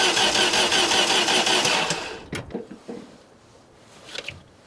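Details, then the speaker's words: 1989 Dodge Caravan, 2.5 Chrysler engine, after in-frame rebuild (head gasket, rings, bearings): starter cranks at a steady, healthy rhythm but never catches; mechanically sound, fuel pump running constantly, spark or electrical grounds suspected. "You heard the cranking. That sounds healthy, a nice, good, steady gallop, which is exactly what we were looking for. So mechanically, I think we're good. We just need to look at the spark situation."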